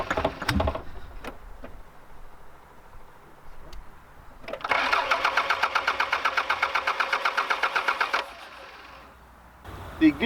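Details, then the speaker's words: Fuel pump not heard, cranked again: steady rapid chugging crank for about four seconds, never catches; ran earlier but now not firing, owner suspects a failing fuse or relay. "not firing cuz I did try to start it up a little while ago and it was working but now it's just not even firing"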